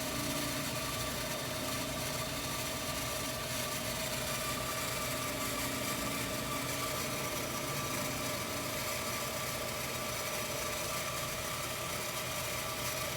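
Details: Well jet pump refilling a new ~120-gallon tank after fixing a waterlogged well, expected to return to prior pressure and cut off: steady, even motor hum with faint whine, no surging or rattling, running normally.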